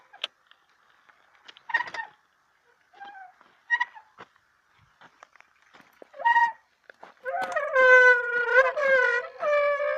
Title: Squealing Brake Noise